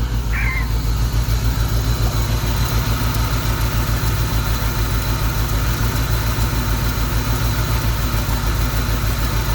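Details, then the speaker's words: 1991 Mustang GT V8 with a dead cylinder, idling somewhat steadily after an injector rebuild: a lumpy, uneven pulse about three beats a second, with a steady vacuum-gauge flutter. A compression test is planned when warm. Rough idle, misfire suspected. "okay now that the mustang is running well enough to idle somewhat steadily the vacuum gauge has revealed some bad news"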